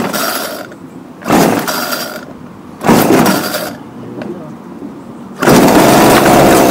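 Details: Homelite UT20042A string trimmer, just fitted with a replacement C1U-H60 carburettor: small two-stroke revs in short bursts then sags and nearly dies when throttle drops; won't hold idle, not yet warmed up or adjusted.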